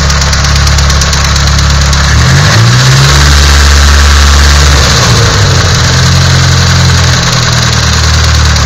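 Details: Nissan SR20DET at idle: steady rapping about four times a second over a loud idle, persisting through a brief rev blip; knock from inside the engine.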